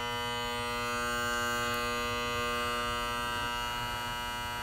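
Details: Honeywell heating zone control box buzzing steadily with a layered even electrical tone when downstairs heat is on; happens intermittently.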